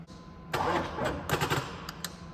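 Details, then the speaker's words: 6.5L Chevy diesel, test start after replacing a bent pushrod: the starter turns over sluggishly in uneven bursts, then fades without catching. Battery too weak, and possibly a poor ground. "that's the story of my life right there should have put it on the charger last night or something"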